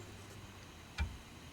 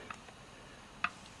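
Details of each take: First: Dodge Charger SRT8 on ramps with emergency brake applied, after installing a Wavetrac differential: driveline rocked at the input flange gives a single sharp metallic clunk from excess slack; bumps when shifting Drive to Reverse; no free play seen in ring and pinion. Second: Dodge Charger SRT8 standard open differential, input flange rocked by hand: two light sharp metal clicks, the normal ring and pinion backlash, for comparison with a loose Wavetrac unit.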